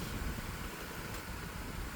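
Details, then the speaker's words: 1999 Lasko model 2000 12-inch oscillating desk fan, curb find with an overpowered Panasonic motor seemingly meant for a 16-inch fan: steady fairly loud airy rush with low hum, no knocks; stronger airflow but louder than these should be. "The airflow seems to be a bit stronger, but therefore the fan is a bit louder than it should be. These are meant to be quiet, like the Lasko 2150 from 1994. So yeah, it's not a really quiet fan."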